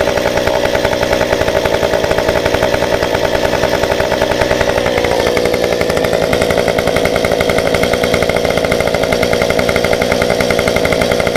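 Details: Stihl 193T climbing saw with muffler mod, about 8–9° timing advance, limiters removed, 93 non-ethanol fuel, restarted warm after 5 minutes off: crisp even buzz stepping cleanly up in pitch midway, holding steady without bogging.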